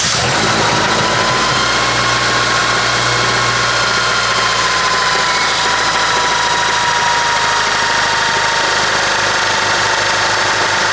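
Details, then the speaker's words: 1996 Honda Accord (CD7) with a slipping transmission, at idle: a light, quick ticking over the engine note, suspected valve train, unverified, plus up-and-down rpm likely from the idle air control valve. "you guys were able to hear kind of like that noise coming from the valve chain, but it's having that issue."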